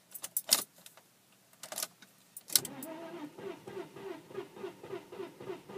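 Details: 1998 Audi A4 B5 2.8 V6 that would not start after one rainy day parked on the street: keys rattle, then the starter turns the engine over slowly and evenly at about three beats a second, never catching.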